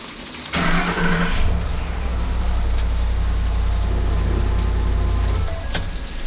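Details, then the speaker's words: 2011 Ford F-150 right after starter replacement. A quick crank, it catches at once and settles into a smooth, steady low idle. It starts normally, and the draw and amperage measurements are within spec. "Beautiful. All right, so good to go. Fired up a couple of times."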